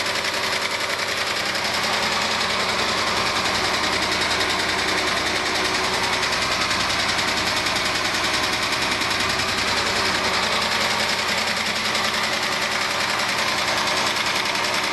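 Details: 1997 Argentine-built Renault Clio at steady idle: light, fairly regular tap two or three times a second over hiss; mechanics disagree, blaming clogged oil breather, valve adjustment or low oil flow; after valve adjustment one suspects piston skirt slap needing engine rebuild, unconfirmed.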